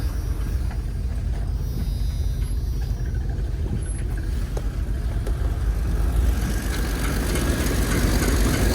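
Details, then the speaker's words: Cold winter start: steady, loud, low rumble at fast cold idle, even with no knocks; good oil pressure immediately, a little smoky; normal cold-start idle. "good oil pressure right off the Hop what's that like you started a diesel it's a little smoky it's good for"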